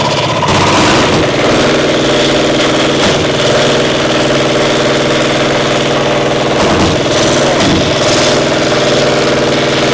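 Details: Caterpillar Diesel 70 twin pony motor, round 4 start: stumbling idle with irregular gaps, running on one cylinder, other hitting once in a while; spark plug suspected, carb acting good; misfire from bad magneto cap.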